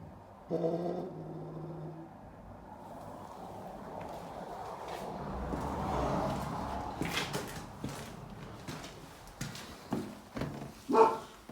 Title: Strange noise from under tank area 2017 Honda Africa twin